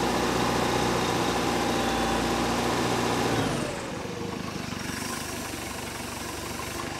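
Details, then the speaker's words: 1973 Larson boat, Mercruiser 120hp 2.5L warming up as choke opens fully: steady, even idle dropping smoothly to a lower, quieter speed partway through and holding there; clean warm-up, running like a beast. "there she is straight up and down running like a beast"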